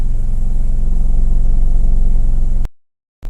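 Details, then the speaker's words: 2010 Mercedes GLK 350 3.5 V6 running poorly, codes P0017 exhaust cam retarded on one bank, flashing check-engine light: uneven lumpy idle with stumbling low pulse about three a second; misfiring on cylinders 1, 2 and 3. "cylinders, and the check engine light, as you can see, is flashing, so it's definitely got an issue."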